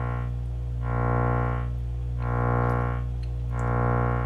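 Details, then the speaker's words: Miller & Kreisel V-2B subwoofer with distorted audio and a 60 Hz hum, fed a 62 Hz test tone: a steady low tone swells and fades about four times a second as it beats against the line hum; defective main filter capacitors, before replacement. "i have it at like 62 hertz it's just a little off frequency from the ac line coming in"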